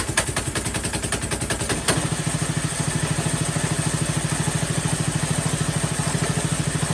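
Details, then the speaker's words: Mega Moto Max 212 mini-bike before the tune-up, clutch replacement and idle/throttle adjustment: uneven loping chug of about two to three beats a second, with stumbles and clatter. It runs rough at idle and died whenever throttled up earlier; the cause is not yet confirmed. "you'll see just how rough it idles or runs in fact when I had this started earlier anytime you throttled it up it would actually die out"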